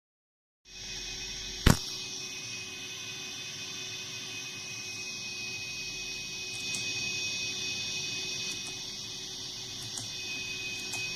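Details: TC Helicon VoiceLive 3 pedal, new, guitar volume off: constant hiss with steady high whines and a low hum with no playing; pedal generating noise itself, cause unclear.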